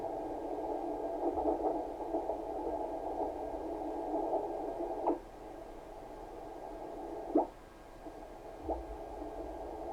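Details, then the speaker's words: Kenwood TS-520 receiver after power cord replacement, switched to CW mode: narrow, muffled hiss with a few soft pops and no wide static. The CW filter properly narrows the receive bandwidth. "Sounds like the CW filter works. Mostly because See how much more wider that is? If you go to CW, you can really tell it narrows it down."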